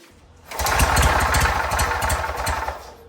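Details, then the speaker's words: 1967 Army generator, 2-cylinder 3 hp 1500 W, first run after fuel system work, spun with a drill: uneven sputtering pops for about two seconds, catching but never running; engine flooded, plugs soaked. "A little more throttle. Yeah, I got it flooded real good, so took the spark plugs out."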